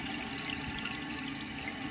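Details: Toilet tank with continuous trickling and hissing after the flush, constantly refilling; flapper not seating centered, partly due to the handle; fixed by replacing the whole assembly with a Korky kit.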